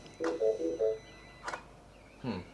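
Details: Mini Cooper S with a replacement used engine, first start attempt: four quick mid-pitched beeps in a quiet cabin, no crank; start likely inhibited because clutch and brake were not pressed.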